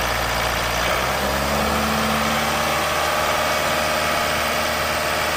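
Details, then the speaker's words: Chevrolet Captiva 2.0 diesel at idle: uneven low drone and shifting hum that a dealer blamed on the turbo. The real cause was a daytime-light install tapping power from powertrain fuses, dropping sensor supply voltage and upsetting the engine. "공급하다가 뭔가 전압이 낮아져버리면 엔진이 아까 같이 그런 상황이 일어나요"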